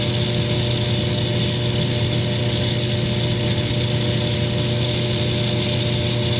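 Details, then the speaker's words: Frigidaire-built Kenmore electric dryer run on air fluff while its plastic blower wheel is heated with a hair dryer for three to four minutes: steady loud droning hum with rough even whir and no scraping; blower wheel gets noisy when hot. "it's getting loud and all I'm doing is heating up the plastic been about three minutes now four minutes now and it is just getting really really obnoxious so whatever's going on with this blower wheel it only gets bad when the dryer heats up"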